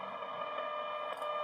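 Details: Braun T1000CD radio, shortwave band fed a 17 MHz tone-modulated signal from a signal generator: a steady, clean test tone holds over faint hiss with no fading or crackle; reception is good.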